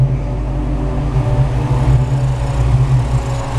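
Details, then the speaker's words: Maverick V8 with MSD 6AL ignition module, test coil fitted, distributor checked as good: lumpy uneven idle with dropped pulses and spark snapping inside the distributor once the module heats up; misfire from a faulty ignition module. "dá para ouvir o barulho da Faísca pulando dentro do [Música] distribuidor módulo tá disparando daqui a pouco começa a pular Faísca aqui esse barulho é dentro do distribuidor"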